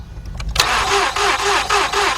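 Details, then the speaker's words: 2006 Mazda 6 from auction, cranks but won't start: steady starter churn at about three pulses a second, never firing; hose-held compression check shows one cylinder with no compression, two others little, engine considered no good without timing chain and head work. "notice that not a damn thing came out of here those two showed a little bit of signs of some kind of compression but that one dead"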